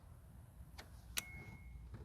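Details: JF.EGWO 6000A jump starter pack clamped to the truck's cable and switched on; a faint single sharp click just past one second over a quiet low hum, the pack's relay engaging as it should.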